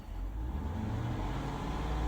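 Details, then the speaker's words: 2021 Dodge Durango R/T 5.7L HEMI V8 after new spark plugs: deep engine note climbs smoothly as throttle opens, no stumble, uneven pulsing or excessive vibration; normal revving, no misfire. "If you had a misfire, you would hear it. Sounds good."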